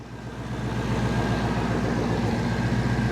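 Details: 185,000-mile Ford Mustang GT after replacing serpentine belt tensioner and idler pulleys, AC condenser disconnected: even low steady idle with no squeal, chirp or bearing growl from the belt drive; healthy.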